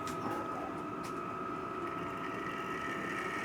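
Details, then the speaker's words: Model railway locomotive test run on temporary shelf boards, same motor underneath: a catching noise was traced to the cable vibrating on the case and fixed. It now gives a quiet, steady whirr with a thin even whine, light wheel clatter and no rattle. "that's a bit better. Oh, that's better. Yeah, it was just the cable was just vibrating on the case."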